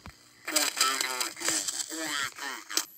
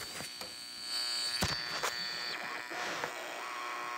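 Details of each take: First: Heathkit GR-81 regenerative receiver tuned to 80-meter SSB with regeneration still at the AM setting. Voice comes through chopped, warbly and distorted because regeneration is set too low for SSB. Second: Heathkit GR-81 regenerative shortwave receiver pushed into oscillation for SSB/carrier reception: steady whistling tones over hiss, pitch shifting as it beats against station carriers. Heterodyne carrier whistle from the oscillating regen receiver.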